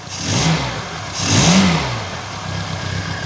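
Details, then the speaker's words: Reliant Fox after fixing the long-troublesome exhaust downpipe joint: two clean throttle blips rise and fall smoothly with no puffing, ticking or blowing from the exhaust; normal revving, healthy. "oh wow sam you have never sounded that good because uh to be honest i've had issues with that downpipe joint since i first got back on the road"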